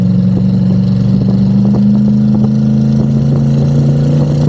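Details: Twin-turbo V8 Pontiac G8 after head gasket, wiring and coil replacement, on the wastegate at about 10 psi on a hot day with intake temps around 97: steady deep drone climbs smoothly with no popping or stutter. It previously popped under boost; now it pulls clean.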